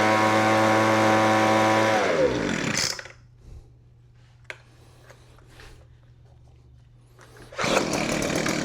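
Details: Weed Eater FB25 25cc two-stroke blower after new fuel lines, primer bulb and spark plug: clean steady buzz, shuts down, then fires again right away and holds evenly; running normally.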